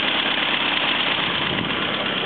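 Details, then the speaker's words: 1934 Morris 10 convertible, small old four-cylinder idling cold, exhaust no longer blowing, not revved: steady, even idle with no puffing or chuffing from exhaust; normal idle. "that's probably quiet now and that's cold that runs a bit better the exhaust isn't blowing don't rev it"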